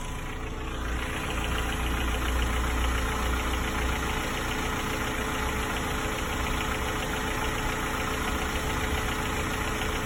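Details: Hyundai g4ke engine, 214,000 km, 5W-30 oil, cylinders and head previously inspected fine: cold idle with soft, irregular knock a couple per second, only when cold, gone when warm and under load; cause unknown.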